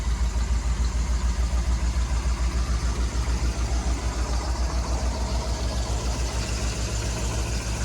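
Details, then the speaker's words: 1963 Ford Thunderbird 390 V8 after a new dual exhaust with H-pipe, replaced left manifold donut gasket, new tailpipes and mufflers: deep, even, quiet rumble with no ticking or puffing; normal idle, exhaust leaks fixed. "No more exhaust leaks. Doesn't sound like a bomb going down the road now."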